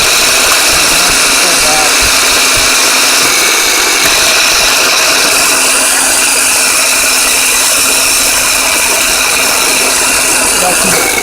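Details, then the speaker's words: 1996 Ford Ranger starter with power jumped directly to a bad solenoid. Fast high-pitched whirring and rapid chatter, no engine turnover; the drive only moves partway out instead of fully. Starter drive not fully engaging. "now before this was just spinning in the vehicle without driving out at all but now it seems to be driving a little bit that's why the not enough we'll just going part way should go all the way out of that"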